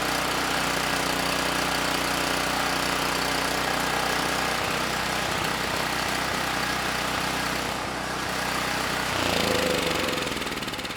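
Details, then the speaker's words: Campbell Hausfeld GN503100AC 5000 W generator, 9 hp Briggs Vanguard, under space-heater load with correct 25 µF capacitor: steady chugging, slightly uneven beat, no misses; engine and generator good but clone carburetor runs way too rich. "the carb yeah we need to go through that OEM carb and get that running better because this carb it's way too rich I do not want to leave it on this machine"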